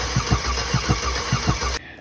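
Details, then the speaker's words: 2020 Hyundai Elantra 2.0 Nu engine, towed-in no-start with P0017 cam/crank correlation, valve cover off, timing marks aligned: starter cranks in uneven paired thumps about every 0.6 s, exhaust cam not rotating for the first three revolutions before the failing phaser catches. "So I had Brian crank it over for me while I watched. And as you can see, the exhaust camshaft did not rotate for the first few revolutions, and then it caught."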